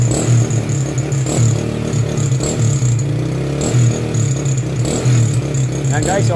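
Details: Honda Wave 100 kick-started (no battery) after cleaning a carburettor left dirty for half a year: steady, even idle with a smooth low beat and no misses or pops; sounds healthy.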